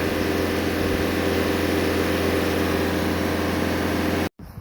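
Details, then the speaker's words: Reference Bobcat S550 diesel with no problems, compared against one with leaking injectors: steady, even full-throttle roar, constant low drone, no knocks or hunting, rail pressure holding about 200; normal full-throttle running. "Full throttle staying around 200, 204, 203. That's what we're not getting with the other one."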